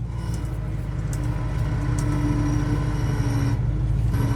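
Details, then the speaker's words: 1980 C30 truck driving back on the road; low growling hum over deep road rumble that fades in and out, which the owner suspects is the power steering, unconfirmed. "What is that noise there? That's power steering growling, huh?"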